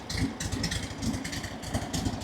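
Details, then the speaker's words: 1967 VW Beetle flat-four barn find, off the road 46 years: busy, slightly lumpy chuffing idle with a hissy top end, fast and uneven; cold on choke, carburettor completely untuned, first run off the tank instead of a gas can. "but it's on choke. It's got absolutely no tune on the carburetor cuz as you saw, the only time we've run it was before off the fuel can and just kind of having to keep it alive."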